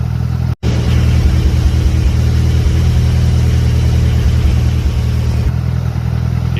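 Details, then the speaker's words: 2006 Mitsubishi Evolution IX, built 4G64 bottom end with Evo 9 MIVEC head, idling after replacing GSC no-tick lifters with ITM revised 3G lifters: steady, even idle with no lifter tick, normal. "hear those lifters nope neither do I so I'm so happy that's what fixed mine"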